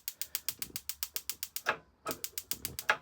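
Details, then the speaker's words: 2025 Grand Design 151BH camper two-burner stove, gas on, igniter handle pushed in: crisp rapid snapping clicks about seven or eight a second in two bursts; igniter sparking normally. "Whenever the gas up front is turned on, and you want to light, just grab the handle, push it in, and you can hear the clicking."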